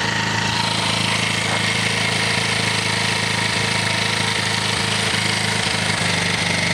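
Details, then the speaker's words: 125cc four-stroke single, 7621 km, top end rebuilt, after valve clearance adjustment: steady even idle, no valve tick over the exhaust; clatter gone, runs well. "Ça démarre. Et ça claque plus. C'est parfait. C'est qu'on est bon, vraiment très bon."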